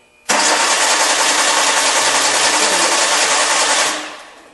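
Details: 2002 Hyundai Accent cranking at an even pace for about 3.5 s with no firing, then spinning down; crank-no-start caused by a shorted main relay.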